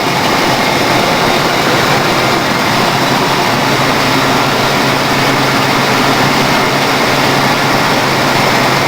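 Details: 1992 Ford Crown Victoria ex-police car, stock 4.6L V8, unknown mileage, cold start after sitting a week: smooth, constant idle hum with no ticking, knocking or hunting; engine sounds healthy.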